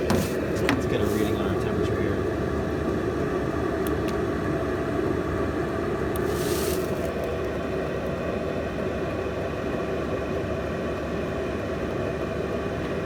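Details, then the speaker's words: Chinese copy diesel parking heater in a camping case, brand new, at the highest setting of 3.2 pulses per second with the outlet temperature unchanged from lowest: a loud, even rushing roar with no surging or sputter, moving much more air. Normal full-power running. "i'm just moving a ton more air you can hear by how much louder i have to talk just to hear the top of it"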